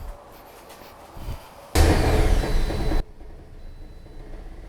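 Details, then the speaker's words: 2010 Toyota Corolla after radiator and coolant connector pipe replacement, started with heat on to bleed air: short crank, catches with a loud flare, drops to a quiet, steady idle with no rough beat or rattles. "Uh, now I'll fire this up and turn the heat on."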